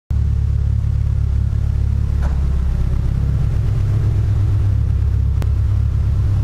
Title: Evo 8 Misfire on 91 fuel